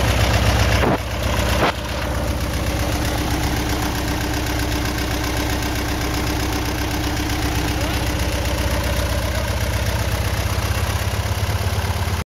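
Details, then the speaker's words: RV-8 (N623RJ) aircraft engine on first engine start; steady idle carries a slow, uneven rhythmic whopping pulse a few times a second over the drone, after an earlier surge that seemed to fix itself; cause not identified. "yeah that's about we bus sounds like it's w w w w whopping a little bit"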